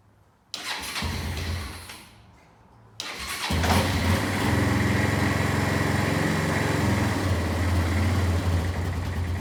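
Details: Kawasaki Bayou 220 barn-find ATV, cold and not recently started: brief crank, then steady low thumping idle, slightly lumpy but even; healthy cold start.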